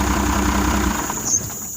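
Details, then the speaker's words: First-gen diesel truck with a temporary test wire feeding voltage straight to the injection pump shutoff solenoid: engine catches and runs with an even rumble settling over a couple of seconds; solenoid works, fault is a bad wire. "I believe we have found our problem. Yeah. Because he put juice or volts right to the top of the solenoid. So the solenoid is actually acting accurately."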